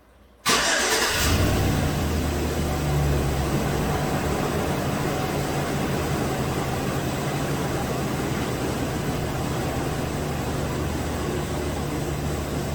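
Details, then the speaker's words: 2017 GM 2500HD truck, 6.0L V8, flashing MIL, running rough, codes P0300/P0302, just after startup. It cranks and catches, then idles slightly uneven and lumpy with occasional stumbles; active cylinder 2 misfire that soon cleans up, spark plug suspected. "Showing some misfires on number 2 right now. At least it did initially when I first started it, and now it seems to have cleaned up."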